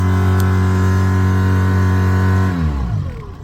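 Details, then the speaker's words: Mercury 9.9 outboard, spun propeller: steady high rev then free wind-down with no load change, boat not moving, as the stripped rubber hub bushing lets the spline shaft slip inside the prop. "When it revs up, but it don't go nowhere, the shaft is spinning inside the propeller. There's a rubber bushing that connects the spline shaft to the inside of the propeller, and it is stripped."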